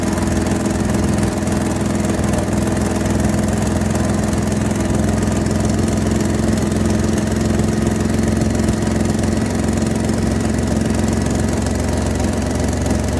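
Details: Toyota 1FZ-FE engine after rebuild, surging at idle: loud steady idle with a thin constant whine over it, speed not visibly hunting in this clip; idle surging with whine, cause unknown.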